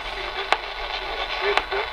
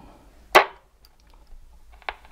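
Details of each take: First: 1960s Channel Master 6506 six-transistor AM radio tuned to a weak station: two sharp isolated clicks about a second apart break through the audio; intermittent interference from an unidentified source around the house, not the radio. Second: 1960s Channel Master 6506 six-transistor AM radio after repair of antenna wire and capacitors, band scan: hiss and bursts of stations as the dial sweeps, tuning clicks about once a second; pulls in signals cleanly, normal reception.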